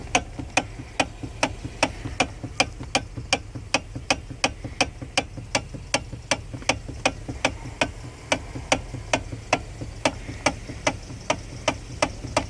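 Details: 2009 Hyundai Elantra, heard from inside the car while turning the power steering: sharp, regular clicking or clunking from the steering column, two to three a second. Owner wonders if the shaft needs replacing; cause unconfirmed.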